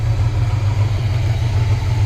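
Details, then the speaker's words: 1970 Chevy C30 V8 after Rochester Quadrajet rebuild and new fuel pump, running on its own fuel system and warming up until thermostat opens: deep, even idle burble with no misses or ticks. "we were a little concerned it wasn't right but it just keeps running and running"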